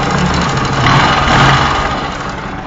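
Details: Bajaj Pulsar (Rouser) 135 LS: loose metallic clicking rattle under uneven idle, swelling with a small blip; Rolon bush timing chain severely slack, hitting upper camshaft sprocket; tappet clearances correct (0.05 mm intake, 0.10 mm exhaust): timing chain rattle.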